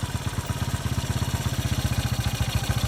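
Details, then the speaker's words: 1981 Yamaha SR185 single-cylinder after replacing faulty TCI with Ignitech, aftermarket carb: crisp even thump about fourteen beats a second with no missed firing; smooth running, previously bogged and backfired from weak spark. "That runs 100,000 times % better. It was bogging and had all sorts of bogging and backfiring."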